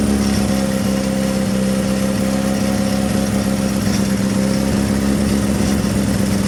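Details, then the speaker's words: Carter998 engine on dyno making 100 horsepower on its 43-year-old valve springs and second-hand pistons, no smoke: smooth steady hum, even note, no knocks or misses; healthy running engine. "Yep, it made the 100 horsepower, so fair play to it. On its 43-year-old valve springs, it's not done too bad."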